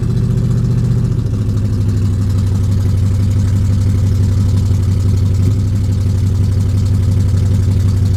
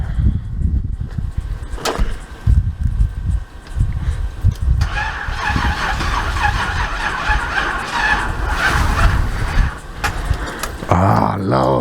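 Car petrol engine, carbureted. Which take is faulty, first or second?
second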